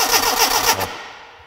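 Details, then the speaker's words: Classic Mini Clubman campervan, cranked about five minutes without starting, plugs dry; fuel pipe pulled off at the pump, short rhythmic cranking that never catches and no petrol delivered; crank no start, suspected air lock between tank and pump. "no no there's no petrol no petroleum i wonder i'll pressurize the tank yeah this is why you're the mechanic so i wonder if there's an air lock between the tank and the pump so the pump can't get any fuel up to it"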